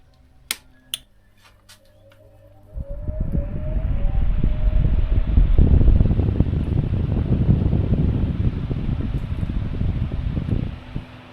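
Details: 65-year-old Essex 12 inch fan (September 1960, aluminium blades), bought as not working, after teardown, rewiring and repair: clicks, motor hums up with rising tone into an even whir; normal running.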